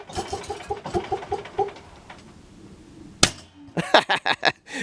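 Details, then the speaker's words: Generator that backfires every time it is shut off, load removed first; owner wonders if it isn't warmed up enough: engine chugs unevenly, then a single sharp bang after switch-off; backfire on shutdown, cause unknown. "Now, one thing about every time you turn that generator off, it backfires. That's the only thing that I've noticed kind of funny about it."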